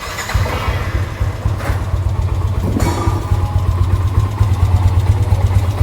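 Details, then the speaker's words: Yamaha NMAX scooter engine at idle, complaint of noisy engine: steady low thrum with loose clattery top-end rattle; cause found as slack cam chain plus missing O-ring at the camshaft. "Terdengar banget bahwasanya suara mesinnya ini berisik parah yaad."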